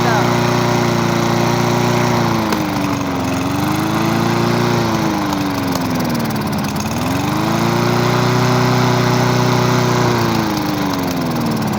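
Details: Discarded lawnmower revived with fresh gas after water was found in the old fuel: a small single-cylinder buzz whose pitch rises and falls gently every few seconds but never dies. Normal running.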